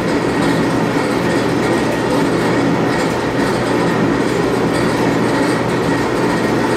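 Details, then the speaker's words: Admiral AED4675YQ1 dryer after replacing the heating element, thermal fuses, thermostats, drum bearings, belt and tensioner: steady, even drum rumble with no knocking, grinding or squealing, now heating; repaired dryer running normally. "warm all right that did it okay she's fixed completely now the bearings are all sounding great uh the heat works"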